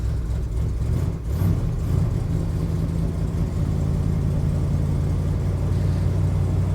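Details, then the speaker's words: 1977 Ford F250 Camper Special with 460 big-block V8 on a winter cold start: steady deep rumble with a fast rough chuff under it; previously fixed exhaust manifold leak has returned on the passenger side. "fixed my exhaust manifold leak that I had before, and it's come back on the passenger side over here, but man, she fired right up."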